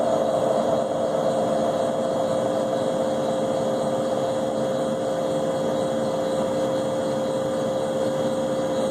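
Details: Leybold Turbovac 150CSV turbomolecular pump of unknown history that has lost some oil; steady high whine with a rough, gritty hiss at constant speed from bad bearings.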